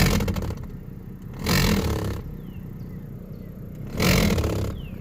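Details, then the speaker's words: 1994-2002 Dodge Ram 1500/2500 with AC on high and medium fan speeds: rough scraping flutter surging about every 2.5 seconds over fan rush as a broken blower wheel piece slaps inside the housing; broken blower wheel flapping. "okay so today I got in the truck figure out art to turn the AC on and start making an awful sound"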